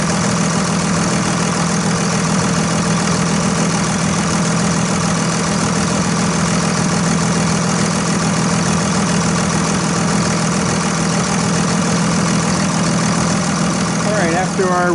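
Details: 2001 Dodge Ram 2500 Cummins turbo diesel idling after a Fleetguard FS19855 fuel filter change and lift-pump priming: even, unbroken diesel clatter at a settled idle, no stumbling or surging; healthy running, no leaks after about 5 minutes.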